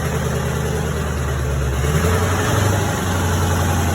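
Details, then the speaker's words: Chevrolet C10 with Duramax diesel swap, first start after fuel system was dry, mass air flow connected, exhaust not yet run out back: steady deep diesel rumble, even clatter, no misses or knocks; started well, no fuel leaks seen. "but it's alive again I don't see no fuel leaks started really well for it to be the first time it started"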